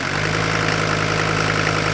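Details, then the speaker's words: Non-turbo diesel from a 1980 Mercedes 300D, an estimated 90,000 miles since rebuild, coming off idle: smooth, even beat with steady low drone, quiet with no knocking or injector noise; healthy engine. "Yeah, see how smooth that is? Isn't that amazing? Listen how quiet, hard, no injector noise. Now that's how a diesel engine should sound."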